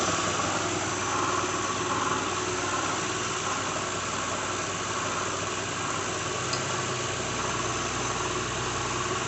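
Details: 2006 Lincoln Town Car, just started cold: idle with steady whir and loose, uneven front rattle; owner names a bad harmonic balancer after coil packs, plugs, idler/tensioner pulleys, alternator, belt, oil and cam sensor changes didn't cure it.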